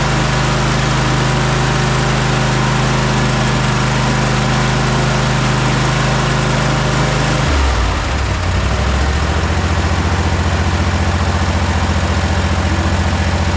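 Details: Cub Cadet Super LT 1550 Kohler twin-cylinder engine running after carburetor work and fuel-delivery problem found: steady, even beat with no misses, speed dropping partway and settling into a smooth lower idle; running normally.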